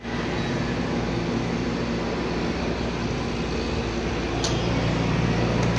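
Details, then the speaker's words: Motorcycle engine after noisy-engine repair, rocker arms refitted with valve clearance set 0.05 intake and 0.06 exhaust, timing and idle gears not replaced: steady, fairly quiet hum without sharp top-end tapping; noticeably quieter, not fully perfect. "Okay mga boss amo yan medyo tahimik na yung andar ng ating ginawang motor"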